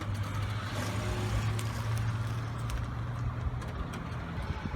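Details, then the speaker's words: 2005 Pontiac G6 after replacing fuel pump whose line broke and leaked gas: fires up, quiet steady low rumble, no stumbling or sputter, fuel pump working; normal running. "it's on i left it on i don't know if you can hear the fuel pump but it's working guys"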